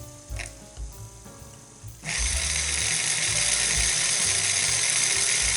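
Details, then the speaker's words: Vintage Sunbeam MMA mixer under repair, calibrating its governor speed control: slow, sparse clicking at the lowest dial setting, then a jump to a steady high whir. The speed is set too low, which risks burning out the resistor; the fix is a little more clockwise adjustment. "So I want to make sure that anywhere the knob is, that the machine isn't going to run at an ultra slow speed."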